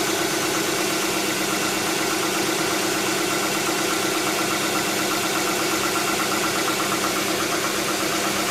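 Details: 2007 Tucson 2.0 16v GLS, cold-start morning noise that goes away after about 10 km of driving: steady cold idle with fast, fairly even light ticking; likely valvetrain, mechanic suspects lifters (tuchos), unconfirmed.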